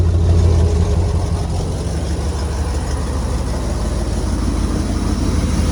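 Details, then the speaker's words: 1996 Ford F-250 with 460 big-block V8, rat damage, timing set by ear: deep, even V8 burble, steady with no misses or knocks; normal idle, slight exhaust leak suspected. "i know it's probably not it's running all right she's good for another 300."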